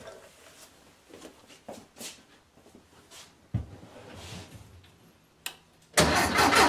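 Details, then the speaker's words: VW Beetle with newly installed Pertronix distributor and coil, fresh gas; quiet clicks then a loud rough burst of cranking that never catches; fuel smelled, owner unsure how far off timing is and plans static timing with a test light. "Alright, well that doesn't sound great. I smell fuel. So she's getting fuel. I don't know how far off this is."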